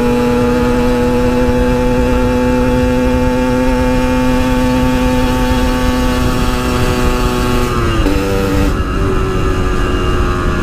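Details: Yamaha RX King two-stroke, riding after fixing high-rpm stutter, recorded through a half-face helmet with wind noise: steady howl at high revs, no misfire, drops smoothly through a shift; normal high-rpm running.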